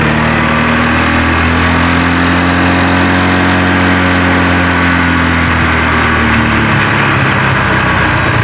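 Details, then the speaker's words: Honda Vario 125 scooter with delayed/hesitant throttle response after stalling and not restarting, factory injector refitted; idle still surging up and down, tone sagging partway instead of holding level; cause still unknown (spark plug, fuel pump pressure, clogged injector suspected). "ya masih ngayun-ngayun kedengar kan"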